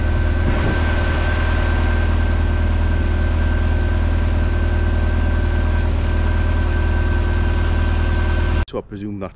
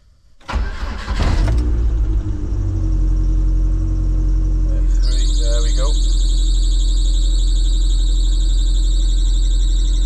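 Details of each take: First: Lotus Elise after tightening the loose auxiliary belt that caused a squeak at engine start: steady, even idle with a deep low hum and no chirp or squeal; owner presumes the fix sorted it, as it's better than before. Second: Lotus Elise at engine start, intermittent fault: cranks and catches, then a steady piercing squeal rides over the idle; loose auxiliary drive belt slipping, later fixed by tightening with the correct bolt.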